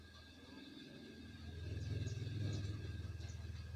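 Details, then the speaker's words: Samsung washing machine after repair (start button only beeped, wouldn't run; module serviced): low steady rumble with soft rhythmic pulse as drum turns, swelling smoothly; running very normally. "matikan dulu ya karena sudah selesai sangat normal sekali sudah"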